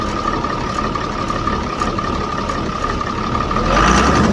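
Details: 2007 Ford F650 with 5.9 Cummins diesel after turbo silencer ring removal: steady idle with a clear high turbo whistle swelling slightly near the end; healthy turbo spooling audibly.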